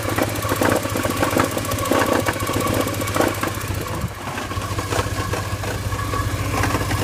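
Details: 1987 Porsche 944 idling: a gritty rattling grind from the clutch region rides over the engine and eases partway through. It seems better with the clutch pedal pushed in. Clutch cause suspected, not confirmed.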